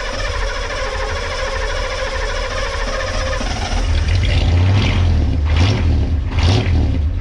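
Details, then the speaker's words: Ford 6.9/7.3 IDI diesel pickup, fuel system drained and primary still holding some fuel: runs unevenly, then the idle falters and breaks up as it dies. Stalls once air reaches the injection pump, then air pushes into the return system. "So, you start it and it runs and then as soon as the air gets to the pump, it dies."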